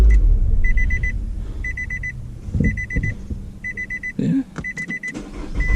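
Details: 2018 Nissan Altima SV with an intermittent no-start and stuck-in-park fault, later fixed by replacing the brake light switch: repeated chime bursts of about four quick beeps over a steady low idle; this time it started and ran normally.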